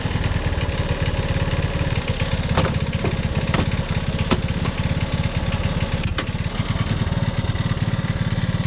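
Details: Honda ATC185 single-cylinder after carburetor mixture screw reset to 2.5 turns out and adjusted: steady, low thumping at an even idle beat with no misses or hunting; the mixture seems about right. Normal idle.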